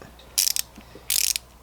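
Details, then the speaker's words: Tekton folding ratchet with a 10 mm Snap-on wrap socket, swung in tightening mode: two short bursts of crisp, fine, evenly spaced clicks, the pawl engaging cleanly, a normal healthy fine-tooth ratchet. "and with the socket there and that's how it sounds like when it's on its tightening mode"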